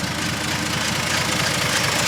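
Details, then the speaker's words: 1948 Dodge B1C pickup, flathead six (owner thinks 3.8 L, 230), rebuilt at some stage, revived after sitting, new starter solenoid: smooth even idle with light steady tapping from the voltage regulator, no knock; normal idle. "so that's purring away whatever it is three-point i think it's 3.8 3.8 liter 2 30 i think it's 2 30."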